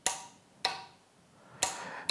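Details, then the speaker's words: Motorcycle starter solenoid bench-tested on a battery at low amperage with the negative held aside: four crisp single clicks with no motor spin, as the contactor pulls in and connects the two posts, so the solenoid works normally. "what that click sound is representing is that a contactor is coming up, getting pulled into position, essentially connecting this point to this point."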